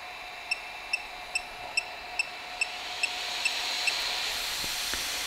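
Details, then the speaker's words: Geeetech Thunder 3D printer, head heated, main part cooling fan switched on (rear fan not yet on): steady high beeps about twice a second, then a rising airy hiss as the fan spins up; normal but very loud. "that is the main cooling fan here we don't have the back one on yet let's turn on the back one as well"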